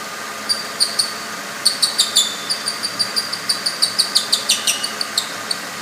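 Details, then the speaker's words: Ford 3.8 L V6 Mustang engine, same design as 3.0 Vulcan: dry, high chirp about three times a second sounding like a belt chirp; worn cam synchronizer bushing, often misdiagnosed. "So, it sound like a hot idle uh dull chirp type deal on the Tauruses."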